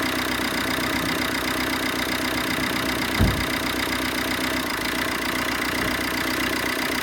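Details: 2014 Vauxhall Combo diesel van, previously non-starting from cold, after injector replacement: steady, even cold idle clatter with no misfire or hunting; all cylinders firing normally.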